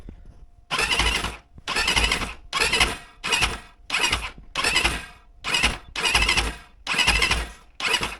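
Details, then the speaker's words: 177FMM enduro motorcycle (Geon/Kovi 300) with a PWK34 carburetor: sharp hissing air bursts about once a second from the crankcase breather, not the airbox. This is new, the cause is unknown, and a valve problem is suspected, with the valves to be checked. "ну думаю чутно наскільки звідціля іде якийсь розряджений воздух Я не можу зрозуміти раніше такого не було"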